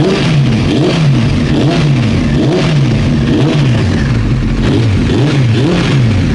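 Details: Old Honda CBR900 Fireblade running with the fuel tap off, trying to reproduce reported backfiring: even engine note with smooth gentle rises and falls in pitch, no misfire or stumble; running cleanly.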